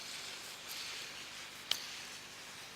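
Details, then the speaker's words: Subaru timing belt tensioner (Chinese Dayco-branded) removed for engine knock: roller spun by hand gives dry gritty hiss with a click; worn tensioner roller bearing, plunger also knocking, whole timing assembly replaced. "вот он натяжителя злополучный это натяжитель фирмы дано matrix китайский я его взял его к застучал смотрите как вот износился ролик иная слышный звук"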